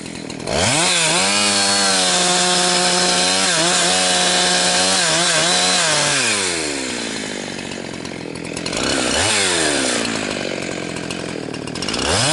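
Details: Husqvarna 362XP Special chainsaw cutting firewood with a wrong ignition coil fitted by a previous owner: pitch climbs then flattens and stutters at a capped top speed, "four-stroking" as the coil rev-limits, starving chain speed.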